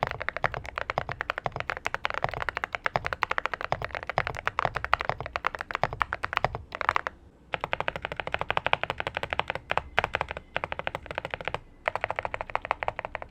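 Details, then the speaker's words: Zuoya GMK87 TKL mechanical keyboard: fast crisp typing clacks with hollow metallic rattle behind larger keys; irritating stabilizer wire rattle. "His sound is low, I can hear the irritating Rattle of the stabs, okay, the wire is irritating, okay, but that's what I feel,"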